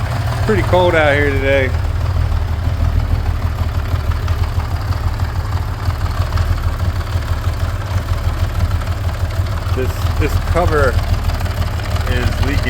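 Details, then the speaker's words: 47-year-old Honda CBX six-cylinder, never rebuilt, idling while warming up after start: fast uneven light clutch rattle over low hum, which gets better when the clutch is pulled in. "It's got a little clutch rattle. You can hear it gets better when you pull the clutch in. It's, you know, 47 years old and has not been rebuilt."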